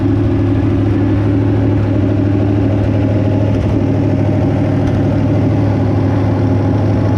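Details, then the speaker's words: 327 V8 barn find, sitting since the early 90s, running on an engine run stand with original fuel pump; steady idle with light uneven tick about three per second, suspected valve train noise plus slight exhaust leak, unconfirmed. "I think I am feeling a little hearing a little bit of valve train noise but for an engine that's been sitting since the early 90s in a barn I think runs pretty darn good"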